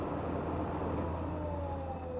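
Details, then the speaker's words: SaltDogg Pro Series spreader spinner motor bench-tested straight off a 12-volt jump box, white positive and black negative: steady even hum with no catches or grinding, motor running smoothly at full voltage. "I'm just actually going to turn it on and then I'm just going to touch it in here. As you see, it's running good."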